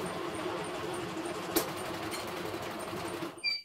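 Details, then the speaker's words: CNY embroidery machine in for service, sensor switched off during test. Steady mid-pitched mechanical hum with light regular ticking while stitching; abnormal internal mechanism noise, technician suspects the sliding/shifting mechanism inside the drive. "itu suaranya. Jadi ini lebih ke tekniknya di dalam."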